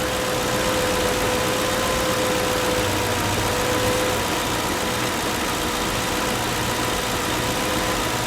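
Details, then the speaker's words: 2005 Mercury Grand Marquis 4.6 V8: steady, even low rumble with faint constant tone, no misses or knocks; purring smooth, healthy idle. "and this thing is purring like a kitten it's smooth the ride is smooth it drives pretty good so"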